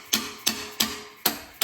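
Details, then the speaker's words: 1970 Plymouth Duster 225 Slant Six, off the road 26 years, engine off with valve train exposed while checking valves by hand: crisp metallic snaps about a third of a second apart; the pushrod turns freely and the valve closes freely. "I can turn the push rod freely it sounds good so does that one"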